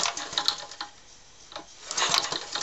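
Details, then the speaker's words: Small engine spark check, plug lead held with pliers near earth while cranking: sharp dry irregular snaps, no steady running; spark jumping to earth, ignition working normally. "gonna keep it as close to it as possible and you're looking for a spark to jump to the hand pole"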